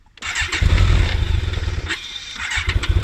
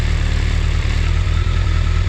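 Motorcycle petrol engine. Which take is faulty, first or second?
first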